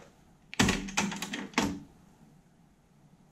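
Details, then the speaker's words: Sony TC-RX80ES auto-reverse cassette deck: three sharp clunks within a second, soft-touch solenoid kick then the two-track head rotating 180 degrees on reverse; normal operation. "they're all a bit the soft touch controls on the sony decks are all a bit clunky because they're operated by a a solenoid um the solenoid replaces the action of you actually pressing down the the physical button on the non um soft touch deck"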